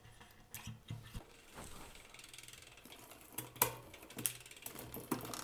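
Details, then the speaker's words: Bicycle, Campagnolo Veloce 10-speed shifters with clutched Shimano GRX 11-speed rear derailleur, 10-speed 11-34 cassette, 11-speed chain: irregular ratcheting clicks and clunks, chain missing shifts and jumping cogs; gear skipping, suspected shifter/derailleur cable pull mismatch. "three doesn't want to shift four didn't shift five shifts whoa six jumped up skip to gear no this is not working not at all"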